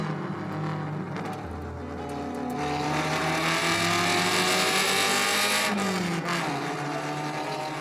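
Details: Restored Alfa Romeo Spider Veloce 105 with 1750 engine after full rebuild, driving on the road: crisp, even four-cylinder note pulling cleanly up through the revs, no knocks, misses or rattles; healthy engine.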